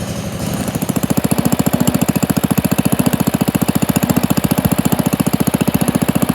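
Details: Pond lever-steer tractor, engine with new Champion D16 spark plug and borrowed starter, driving: steady clatter about three and a half knocks a second; pressure plate fingers pivot out when the clutch is pushed and hit the bell housing.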